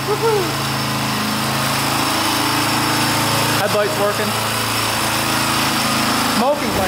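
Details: 1982 Honda XL500R single-cylinder running for the first time in years after valve adjustment, carburetor cleaning and reconnecting the pickup coil wire; quick, even putter at idle with a brief blip, no misfires or stumbling.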